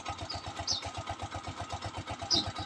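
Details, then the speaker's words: Honda TMX 125 Alpha single, low kilometres, idling cold in the morning after kick start, idle at about 1,000 rpm: even soft putt-putt about six beats a second, no misses or hunting; correct carburetor air-fuel mixture, clean idle. "yung Menor niya tamang-tama lang yung Menor niya 1,000 yan Ganun lang guys tamang timpla sa hangin at fuel niya"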